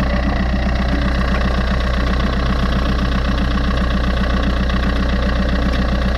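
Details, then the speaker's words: Fiat 500 bought with hidden defects, about 20,000 km, at idle; faint, constant scraping hum that doesn't pulse with firing. Owner suspects the rusty alternator bearing, or possibly the timing chain. "je trouve que c'est quand même bien rouillée et tu vois donc ça se pourrait que ce soit le roulement donc après je vais mettre en route et puis je vais écouter déjà"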